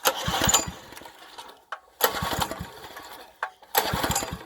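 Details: Wacker plate compactor won't start due to poor maintenance: three pull-starts, each a short chuffing burst that fades without firing. New spark plug fitted; no spark is suspected, and a carb jet cleaning is planned.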